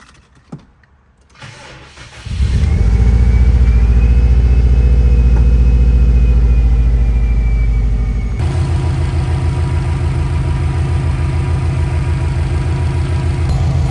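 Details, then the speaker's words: Newly installed engine in a black 03 WRX, started after fitting a new oil filter adapter and oil filter and topping off oil: brief crank, catches at about two seconds, flares, then settles into a smooth, steady idle with an even beat; runs great, one terminal wire still needed fixing. "this car is running absolutely amazing I just need to fix one wire"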